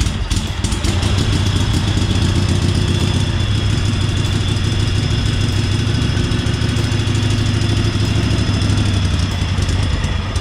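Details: 1998 Craftsman GT garden tractor V-twin, started with the choke on after only fresh gas and a different battery: a low, even putter at idle with no misses or knocks, like a Harley V-twin; it runs nice and smooth.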